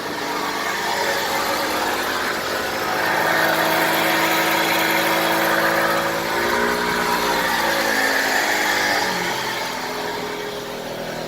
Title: 2007 E93 BMW bad wheel bearing.